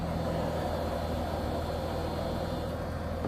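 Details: 1994 BMW 525it E34 wagon after fuel pump replacement with a Bosch pump: smooth, steady idle with an even low rumble, no whine or ticking; new pump barely audible.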